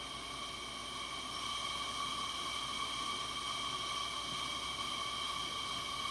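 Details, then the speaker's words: Coleman 502 camp stove after cleaning, check valve service and carb cleaner, generator warmed up: smooth constant hiss with a faint steady whistle, no sputtering or pulsing; blue flame, burner running clean and even. "let's see here where i can get you where you can see it got a pretty pretty blue flame that's running good"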